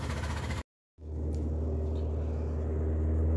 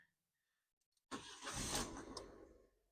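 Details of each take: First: 2013 Ford Ka idling with a lumpy, uneven low pulse about four times a second, running on only two cylinders: a misfire. The cylinder 1 injector is not pulling to ground; ECU fault suspected, not confirmed. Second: 2013 Ford Ka that broke down on the motorway and misfired only when warm, started after repair: a quick crank, then the engine catches cleanly and settles with no stumble; the engine light flashes pending a phonic wheel learn.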